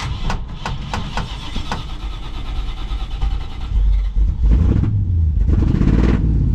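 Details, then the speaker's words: 1954 Chevy Cabover (COE) with a small-block Chevy V8 on a weak, dead battery, just started. A few cranking turns, then it catches and stumbles into a lumpy, uneven, rich-sounding rough idle. Owner suspects a clogged choke circuit or that the carburetor needs rebuilding; cause unconfirmed. "Yeah, it's not sounding good."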